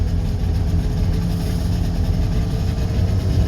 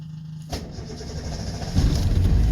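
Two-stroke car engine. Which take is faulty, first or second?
second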